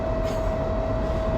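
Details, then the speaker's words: Car at highway cruising speed with 0% oil life remaining: loud, constant siren-like whine at one steady pitch over road rumble; very loud differential whine, driver unsure whether the diff is failing. "That is the loudest diff whine I think I've ever heard in a car. It sounds like a siren."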